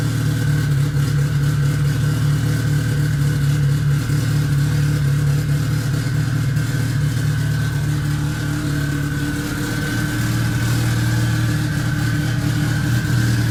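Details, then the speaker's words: Modified Mitsubishi Evo on true E85, cold morning about 35-40°F, just started after long cranking: deep, lumpy steady fast idle with slight rev swells, no knocks or misses; healthy tuned engine. "But yeah, here we go. Listen to this thing. It sounds pretty awesome."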